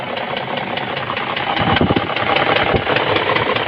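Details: BMW M62B44 V8 at idle with sharp, regular metallic knocks of more than one per second, seemingly from the left head side. The cause is identified as a knocking piston.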